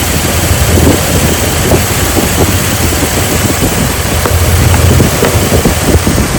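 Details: Jeep Liberty petrol engine idling unevenly, low rumble broken by irregular stumbles and puffs; misfire at idle, spark being checked.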